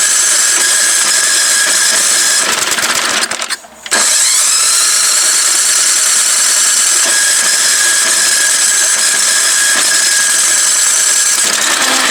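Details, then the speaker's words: Old MTD Yard Machine snow blower, unused about 1.5 years, electric starter run off an extension cord. The starter whirs at a steady pace and never catches or fires once; the cylinder is found extremely flooded with fuel (Champion plug). "See's a little bit flooded. Let me pop the spark plug out. So, it's extremely flooded. Extremely flooded."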